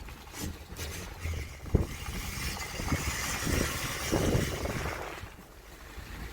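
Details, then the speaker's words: 2014 Ford F-150, 70,000 km, in two-wheel drive: intermittent harsh scraping over road rumble as front IWE hub ratchets, actuator not properly disengaged; diagnosed as torn vacuum hose at the knuckle to the hub; front hub grinding. "자, 이 소리는 지금 액추에이터 IW가 인게이지드, 지금 잘 인게이지드, 그러니까 결합이 안 되는 거예요."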